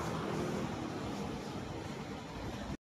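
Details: Kawasaki NS160 FI single-cylinder idling after noisy cylinder head was repaired at a machine shop: soft, even low rumble with no ticking or top-end rattle; quiet again. Normal idle.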